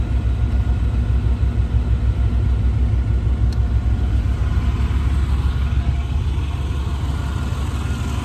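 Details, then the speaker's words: 1992 Chevrolet Blazer Silverado 4x4, 5.7 V8, automatic, new battery, custom exhaust, with AC running: deep, even V8 burble with steady low throb, no knocks or ticks, slight AC compressor noise; idle smooth and healthy. "what you're hearing a little bit of noise out of that compressor Run's nice and smooth"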